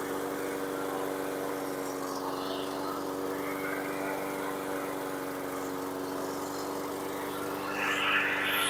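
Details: 2017 Husqvarna LC 221RH self-propelled mower with a Honda GCV160 160cc engine, after the dead, possibly aftermarket recoil starter that stopped it was fixed: a steady single-cylinder drone at constant pitch with no misses or knocks; it runs smoothly.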